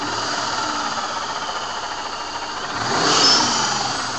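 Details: Vortech V2 SQ supercharger at idle and brief revs: thin gritty whine swelling with rpm from worn bearings.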